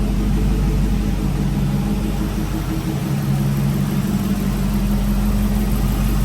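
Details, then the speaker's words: 2006-10 Dodge Charger 5.7 HEMI V8 after new water pump, timing cover gasket and aluminum radiator, first start-up; deep, steady rumble with smooth even firing and no ticks or knocks. "Everything looks good. Everything sounds good."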